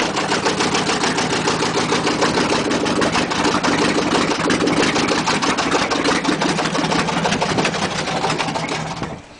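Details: 1996 Chevy 2500 Silverado needing an engine: a rough idle with a steady deep rod knock about three times a second, then it shuts off.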